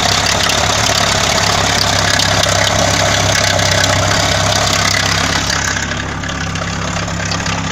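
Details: Engine at steady idle with a rapid, somewhat uneven tapping near four beats a second: engine knock.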